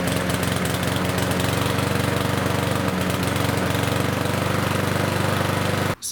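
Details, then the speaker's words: Yard Machines lawnmower with a Power Mower engine: single cylinder thumping steadily but labouring below full speed before cutting out, as if choked; running rich because the air filter is impregnated with oil and fuel, possibly from being tipped. "you just saw it's the air filter even though it's not super dirty with dirt and debris it is still not letting the air flow go through the reason for that is because it's impregnated with oil and fuel"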